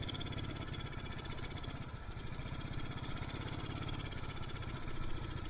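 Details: Yamaha Mio Soul carbureted scooter that lacks power and stalls: engine fires in a low, lumpy pulse that never climbs when throttle opens, stumbling and bogging; too much fuel entering the combustion chamber, rich mixture.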